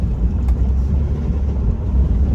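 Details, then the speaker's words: Inline-six Mustang driving on road: steady low engine drone under road noise, even and smooth, no knocks or ticks; solid healthy motor. "but it just sounds so good this inline 6 is a solid motor and I mean I can just drive around in this all day"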